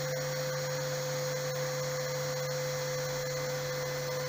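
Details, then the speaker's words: RO plant digital panel: after raising the raw water pump current setting from 0.5 to 1 ampere, the pump motor hums steadily and runs continuously with no overload trip, confirming the load setting is correct. "अब आप देख रहे हैं कि router continue चल रहा है, जो ओवर का दिखा रहा था वो भी नहीं दिखा रहा है। इसका मतलब कि हमारा जो हमने जो सेटिंग किया है लोड वो सही है।"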